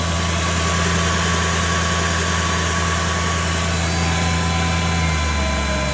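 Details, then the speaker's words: 2004 Mercedes C55 AMG (M113 V8), after replacing the steering fluid reservoir and the oil filter/cooler seals, idling to cycle the steering fluid: a loud, steady V8 idle with an even low rumble and no belt squeal or knocking; running clean after the work. "so we'll just start it up and we'll just let it um cycle around for a bit"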